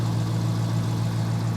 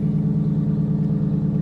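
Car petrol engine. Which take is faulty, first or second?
second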